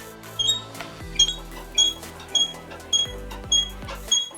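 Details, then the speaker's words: Squeak from a SmoothStar surfskate truck, front or back: dried-out lubrication gives short high-pitched squeaks, about one every half second, as the truck pivots; normal wear with nothing wrong with the board. "it needs lubrication the lubrication can dry out and you do get a slight squeaking noise similar to what you're going to hear now"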